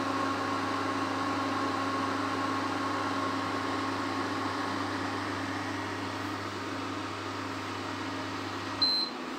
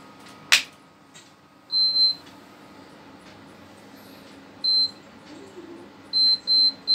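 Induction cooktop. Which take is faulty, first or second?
second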